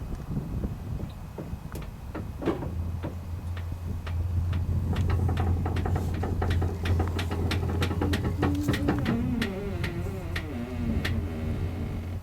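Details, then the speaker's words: Bell 407 turbine helicopter main rotor head turned slowly by hand during pre-flight inspection; irregular creaks and light ticks, a few per second, are normal for this rotor system. "rotate the rotor system all the way around and when you rotate this you're going to hear some creaking listen this is normal you'll hear it creak"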